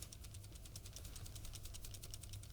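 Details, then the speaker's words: Noble FoKus Apollo Bluetooth headphone, early production unit, shaken: light rattle from a loose ANC button on the right ear cup, also faintly heard when walking; nothing else wrong. "you can hear that rattle that's all coming from the ANC button the good news is nothing else is an issue on the headphone"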